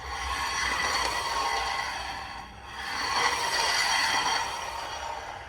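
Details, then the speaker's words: 2013 Vauxhall Insignia front brakes, wheel turning: slow repeating rough scrape swelling and fading with rotation; discs have a big lip on inner and outer edges and pads have little life left; grinding when braking; pads and discs replaced. "And obviously that noise is terrible when you're driving down the road and you put your foot on the brake."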